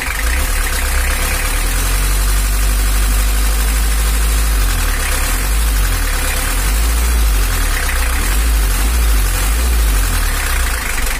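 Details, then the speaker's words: Toyota Hiace LH11 diesel pickup, engine temperature normal, revved: loud rumble with a fast, loose ticking chatter on top; suspected excessive valve clearance (valves too loose) needing adjustment, not confirmed. "Ada suara berisik di klepnya atau kurang rapat, kayaknya terlalu longgar. Jadi suaranya itu kurang pas menurut saya."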